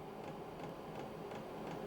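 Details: HCalory Toolbox 2 12V diesel heater on 12V DC from a power station during startup, drawing around 121–133 watts with no heat yet: soft, regular ticking about three times a second over quiet fan hiss, dosing pump working normally.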